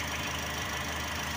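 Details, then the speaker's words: Car with high fuel consumption, idling after throttle body cleaning. Smooth, steady idle with an even low hum and no stumble or shake. The engine is idling normally. "napakaganda yung indoor niya boss, walang ka vibrate yung makina."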